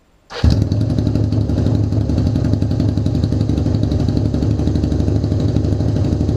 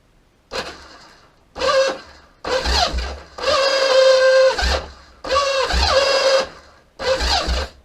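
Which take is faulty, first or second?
second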